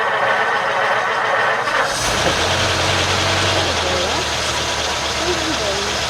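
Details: 1949 Meteor survivor, 37,000 miles, in neutral: short crank, catches cleanly into a steady even low idle; runs differently from when bought.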